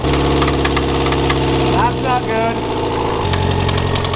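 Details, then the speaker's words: Very high-mileage car just reassembled, first start after fuel-pump priming: the idling petrol engine has a deep, rhythmic knock of about three to four hits a second. Rod knock is suspected but not confirmed, and the car is set aside pending another engine. "you know what that noise is that's not a good noise it appears that she's got a little bit of a rod knock"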